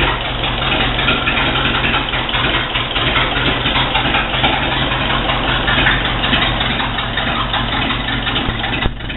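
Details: Rebuilt Ford Model B Diamond block engine (new pistons, rings, valves, head and pan gaskets), exhaust plumbed outside: steady, even idle with smooth low rumble, no knocks, misses or rattles; healthy running engine.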